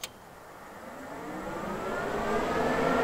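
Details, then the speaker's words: Bluebird bus auxiliary electric fan after its relay signal wire is reconnected: clicks on and spins up with a smooth rising whoosh and steady hum, air drawn in, no rattle or scrape; normal fan operation. "our auxiliary fan and that fan turned on so now you can hear i can hear i can feel the air being like sucked into this thing right here"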